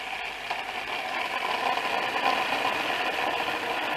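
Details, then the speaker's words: Orbital sander after repair: steady even whirring hiss with no growl or grinding, running much smoother than before with a healthy bearing; normal running. "This thing does run a lot better. Before you can't hold it in your hand. Listen to that nice bearing in here."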